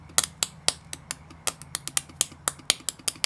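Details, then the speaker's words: Supercharged L67-converted Hilux build: a Bosch 044 or 070 fuel pump gummed up after sitting dry two years stays seized even after an acetone flush, giving only sharp dry uneven clicks about four a second with no motor spin. "no dice still stuck the other method is meant to be tapping it so this pump's stuffed"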